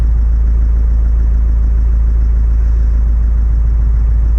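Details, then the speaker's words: Engine first start after snapped cambelt repair, on first key turn: low, steady idle with an even, rapid beat and no tapping or missing; started straight away and runs smoothly. "I'm actually lost for words. That actually started just like that."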